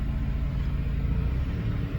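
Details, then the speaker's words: Mercedes C220 manual after gearbox replacement (the old box had no reverse and a hard-to-select second): car rolls backward in reverse with a low, even engine rumble and no grinding or clunking; reverse now engages cleanly. "w we have reverse gear I should go forward again"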